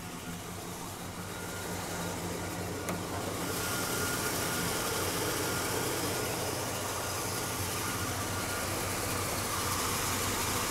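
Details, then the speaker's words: 1983 Chevrolet Caprice, warmed up or in hot weather, below about 2000 rpm at idle: steady idle with a faint rapid pump-like whirring churn, no clear knock; owner suspects the water pump. "alright just wanted to show you guys some weird noise that my car's been making lately sounds like a pump but I don't know where it's coming from it happens only when the car is warmed up or if it's hot outside"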